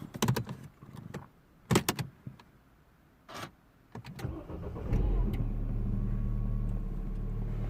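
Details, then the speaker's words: 2007 Mini One R56, 1.6 engine replacing original 1.4, complaint of shaking on cold starts: clicks and door noises, then cold start fires promptly, holds revs above 1000 rpm steadily without stumbling; normal cold start. "started absolutely fine holding the revs above a thousand rpms as it does when cold"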